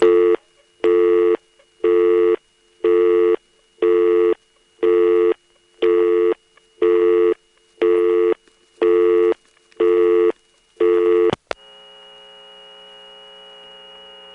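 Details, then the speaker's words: GTE-owned North Electric NX2 crossbar telephone exchange, Hahira, Georgia, recorded March 1978: busy tone pulsing once a second over a faint steady high whine, then a buzzy hum; power supply squeal from unbalanced power, also heard on the originating register. "The unbalanced power here does have that squeal. We hear it a little bit too on the originating register."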